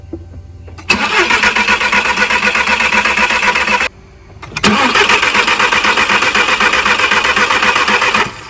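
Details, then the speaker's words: Turbo VW Beetle crank/no-start: two long even cranks, about four turns a second, never catching; fuel at rail but injectors not pulsing and no spark, code shows bad crank sensor. Crank no-start from failed crankshaft position sensor. "Okay, so far what I've confirmed is, even though we have fuel to the fuel rail, it's not pulsing. The injectors are not pulsing. Also, we don't have any fire to our spark plugs. So I pulled the codes, and yes, lo and behold, we do have a bad crank sensor."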